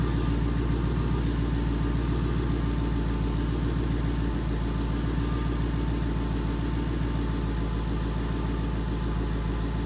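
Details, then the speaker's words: 2011 Ford Mustang GT 5.0 Coyote with Roush exhaust, first fire after replacing all eight rod bearings (King) and rod bolts, fresh 5W-30: steady, deep V8 idle burble echoing in a garage; tick and knock gone. "so indeed the tick was gone but that footage was in a garage and it was pretty echoey with the Roush exhaust"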